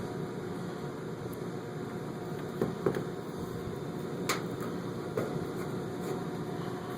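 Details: Home heat pump air handler running in heating mode, measured at the supply ductwork: steady, even rush of air from the blower with a few light clicks nearby, no rattles or rubbing. Normal air handler running.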